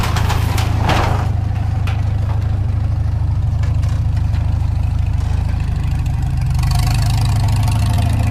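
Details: Farmall Super M tractor engine, before the rebuild: low, slow idle with a dull knock about three times a second, in step with the engine beat; knock from inside the engine, cause not yet found.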